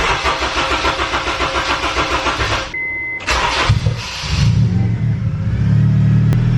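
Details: K24-swapped EP3 with recent battery problems (charger not working): a short crank catches quickly and settles into an even, steady idle. Enough battery power; normal engine start.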